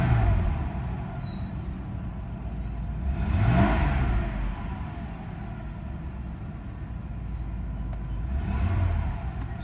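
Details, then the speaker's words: Mercedes S320, cold start after sitting about a week, original E-gas module and throttle actuator: smooth idle, then two clean blips where revs climb and fall back evenly, crisp throttle response with no hesitation; normal acceleration. "it does accelerate and it works"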